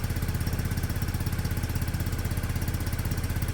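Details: Peugeot Satelis barn-find scooter just started after immobiliser fix, cold on automatic choke, doesn't want to rev yet; steady fast putter about 160 beats a minute, even, no knocks; normal cold idle on choke.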